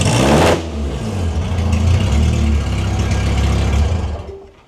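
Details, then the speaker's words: 1992 Honda Civic VX with a rebuilt Jackson Racing supercharged B18C VTEC engine on a base map. It catches at once with a sharp burst, then settles to a steady, even run. Starts right up first try. Normal start and idle. "So, as you can see, she starts right up on the first try. And, uh, that's a big step for us here."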